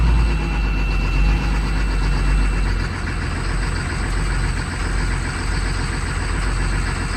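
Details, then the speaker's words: 2004 Blue Bird Vision bus, 7.2L Caterpillar C7 210 HP diesel, cold start at 23°F with jumper cables: deep, heavy, fairly steady rumble with no knocks; healthy cold idle. "Definitely love the sound of a good cold purring Caterpillar."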